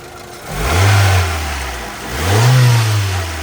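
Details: 1997 Honda CR-V, about 33,000 original miles, freshly serviced with new timing belt, water pump, belts and fluids: two clean throttle blips, revs rising and falling smoothly with no knock or miss; drives great. Normal revving.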